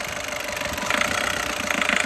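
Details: Volkswagen Polo engine noise, with a tight electric power steering complaint: a rapid, regular ticking clatter over a steady idle with plenty of hiss, then it cuts off; abnormal engine noise of unclear origin.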